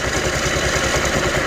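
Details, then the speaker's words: Scooter CVT idling after applying a little high-temp grease to a dry, rasping drive belt: smooth, even low pulse with no grinding or rasping, much quieter than before. "Tuh. Jadi adem ya. Sangat-sangat adem suaranya. Ya. Ini biasanya karena fan belt-nya kering."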